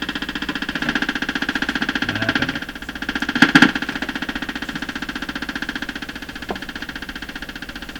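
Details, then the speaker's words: Stewart Warner R514 tube radio, no reception, being tested on AM: buzzing pulse repeating three to four times a second comes through the set; electrical interference from something in the shop, source not found. "something here making that kind of noise there's something in my shop making this radio noise"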